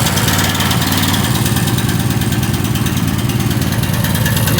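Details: Small single-cylinder mower engine after draining diesel accidentally added to the gas and refilling with gas, carb not disassembled: fires straight up, even steady chug around two beats a second, normal idle, slight smoke.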